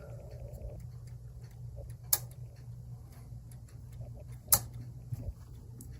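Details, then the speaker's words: Westminster chime clock, untouched, unknown time since last run: minute hand moved past 30, two sharp clicks a couple of seconds apart; chime train engaging. "It's clicking, so it knows where it's going. I wonder if this means the chime is off."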